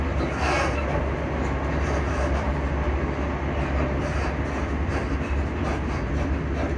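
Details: Class 334 train interior while running, approaching Edinburgh Park: steady heavy low rumble with faint rattly clatter; noisy suspension, cause not pinned down.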